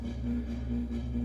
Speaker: You probably hear that buzzing. That is because we have this very crappy Heritage hugger, rainbow hugger. That's very freaking dirty. And doesn't matter how much I tighten the glass, it'll still freaking buzz.